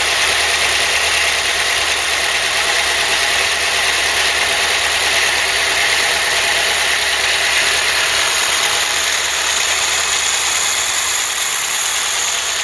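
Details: Ford Cortina Mk3 with newly rebuilt 2.0 Pinto four-cylinder, auto choke working, warmed up with temperature holding mid-gauge: steady even tick-over with constant hiss, nothing untoward; normal warm idle.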